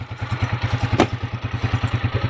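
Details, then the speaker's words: TMX 155 motorcycle after repair of cat-like noise and whine in 1st, 3rd and 4th gear, test ride; even single-cylinder thumping about eight beats a second, no whine or clatter; normal running, noise gone. "Pinadagan natin. Tapos sobrang saya ng may-ari, wala nang ingay yung kanyang TMX."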